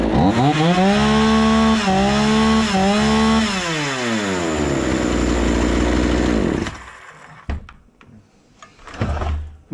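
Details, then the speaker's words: Husqvarna 236 chainsaw after carburettor service and adjustment (it had stalled at idle when throttle released): two-stroke revs up, holds, then eases back to a smooth, steady idle; idle setting now normal. "Şimdi rölanti ayarını kontrol ediyorum, nerede olduğunu görmek için. Çok mu düşük, yoksa çok mu yüksek? Normal görünüyor. Boşta bekleme ayarı normale döndü."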